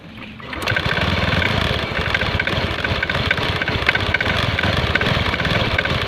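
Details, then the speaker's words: Honda Scoopy scooter starting and idling with light, irregular clicking klotok knocks in the CVT; the cause was later found to be worn clutch lining and loose slider rubbers. "Kali ini ada Scoopi ee yang punya keluhan bunyi kelotok-kelotok. Bunyi kelotok-kelotok dalam CVT."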